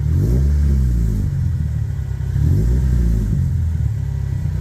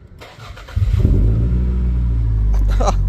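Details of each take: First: 1998 Toyota Celica GT ST202 after tightening the exhaust clamps: three clean rev blips rise and fall smoothly with no puffing or ticking. The exhaust sounds sealed and healthy. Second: 1998 Toyota Celica GT ST202 after tightening exhaust clamps, cranks and catches into a loud deep idle rumble, still sounding the same; exhaust leak, worse on throttle.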